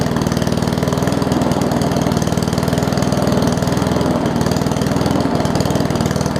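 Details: Murray push mower with Briggs Classic engine after gas tank swap and oil top-off; owner thinks governor spring is missing: slow, uneven loping beat about four pulses a second, idle sitting low and wavering.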